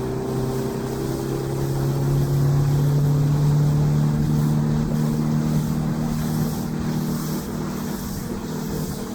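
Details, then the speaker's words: Outboard boat engine under way with trim tucked in: deep, steady, heavy drone held down as the engine strains against hull drag. Boat very laboured, excess fuel use. "Boat's very laboured, but watch what happens when I take the trim off."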